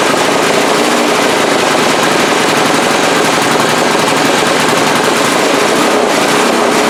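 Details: 2002 Briggs & Stratton 3.5 HP push-mower engine from the trash, with no blade or heavy flywheel fitted: rapid, ragged, crackling pops, spitting unevenly; sputtering, puff of black smoke, carburetor diaphragm or rebuild suspected.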